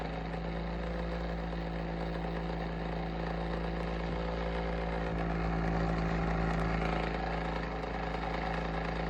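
A steady low hum with a pulsing flutter, about three or four beats a second, that swells midway: an unhealthy fan motor, cause unknown.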